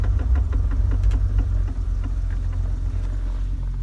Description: 1997 Jeep TJ, 4.0L with 5peed manual. Started making a clicking sound after transfer case fluid change